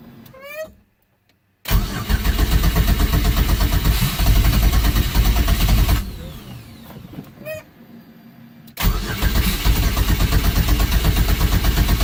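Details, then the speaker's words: Fiero with a 3400 turbo swap, first start attempt after relocating the coil packs. Two long stretches of steady starter churning, about three turns a second, and it never fires; firing order looked correct, cause unknown. "Nope. Let me find out what I did. Well, firing order and everything looked good, so I'm not sure why it didn't start."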